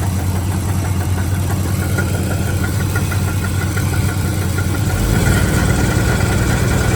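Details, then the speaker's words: 1982 Ford F-150 with modified 302 V8 at idle: light, fairly irregular tick about four per second over deep rumble; owner suspects a front pulley, not heard underneath, hopes it is not rod knock. "anyway it's one of the pulleys for sure I just put a broomstick up to the engine put it everywhere I could"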